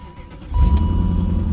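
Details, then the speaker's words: Silver BMW on its second start of the day after a quick prime: it catches with a sudden deep, lumpy rumble that stays uneven; rough running after start. Owner says it sometimes starts sounding good and sometimes terrible; cause unknown. "Oh fuck, this thing sounds terrible. Oh my god, what is wrong with this thing? It sounds so bad."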